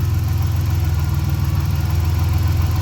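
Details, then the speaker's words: 1990 Dodge Grand Caravan LE under restoration, idling; low idle with slow uneven throb, surging and hunting for idle; owner suspects an EVAP or vacuum leak, not yet confirmed. "it's got a kind of surginess to it almost like it's got an EVAP leak or something or a vacuum leak yeah it's hunting for an idle"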